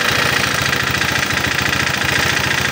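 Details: Honda PCX 150 scooter idling with the tensioner cap bolt removed. Still rough, with quick, steady tapping through the exhaust note; the tensioner feels bouncy and may be weak, though possibly not the cause.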